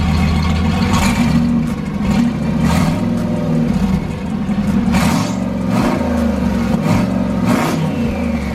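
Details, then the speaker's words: Turbo Foxbody Mustang after an EGR block-off plate fixed its idle and the intake piping was redone: strong steady engine note rising and falling cleanly with throttle, turbo whoosh on top, no misfire, idling great: normal rev. "I love the fact that you can hear the um the turbo sound like like coming straight up and out so she sounds good she's idling great"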